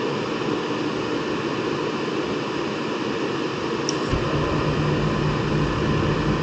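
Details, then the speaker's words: Trianco oil boiler with a Riello burner, started after a full service (new nozzle, cleaned strainer, new fuel filter, burner adjusted) and an oil line purge: an even roar of flame and fan, steady after light-off with no pulsing. It is firing cleanly. "let's start it up ah nice check the Cycles a few times make sure it fires right up"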